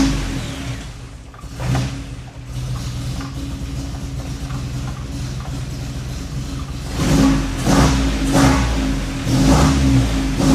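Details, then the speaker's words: Nissan 240SX after PDM and switch panel install, running with MAF unplugged (with it plugged in, only pops and bangs): lumpy, uneven tractor-like idle with low chug and throttle blips; revs up nicely; owner suspects the unplugged MAF causes the roughness. "So yeah, I'm not sure why it kind of sounds like a tractor right now. I'm sure it has something to do with the math being unplugged."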